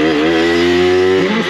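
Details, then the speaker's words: Aprilia RS4 50cc two-stroke on a road test after a full engine rebuild, with a main jet of 60 that the mechanic suspects is a bit small. A high, buzzy note held steady under throttle, then dipping; it runs well but struggles slightly to pull away. "l'air de plutôt bien tourner j'ai déjà fait quelques CH a quand même untit peu de mal à sélancer"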